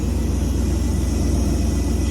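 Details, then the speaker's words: Ford F600 truck with Holley 4412S two-barrel carburettor after setting both idle mixture screws in the tuneup: low, slow idle with an even, steady exhaust pulse, no stumble or hunting, smooth despite idle turned way down. "still running smooth even though we got the idle way down."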